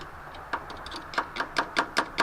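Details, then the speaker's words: 1984 Ford Mustang GT350 (Foxbody), cold start in freezing weather with new starter solenoid: rapid even clicking about five per second, no cranking; solenoid suspected wired backwards, then cranked once reversed. "All right, cold start. Here we go. No. Please crank."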